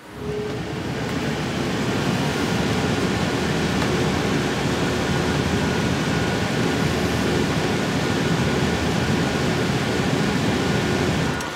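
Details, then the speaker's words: Yeston Zeaginal ZC-ZEUS XT 360mm AIO cooler fans at 100% speed, on Ryzen 9 5900X: steady, loud jet-like rush of air with no ticking, rattle or wobble. Normal fan noise at full speed. "so from what you can hear it sounds like a jet engine"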